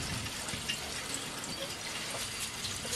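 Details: Oil-fired boiler hydronic heating with Taco zone valves and no heat; the first-floor west zone has a bad zone valve head: continuous hissing, splashing water rush in the pipes, suggesting air in the system.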